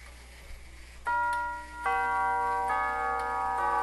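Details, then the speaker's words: Tube-gong grandfather clock with Westminster quarter-hour chimes, after refurbishing worn leather pads on the gong hammers, run on a bench test stand: clean, mellow tubular chime notes in sequence with soft echoing decay, nothing sharp or clanging; chimes healthy. "Oh, wow. That that sounded sweet. They just they had that nice that nice tone that just makes them sound like they're kind of echoing."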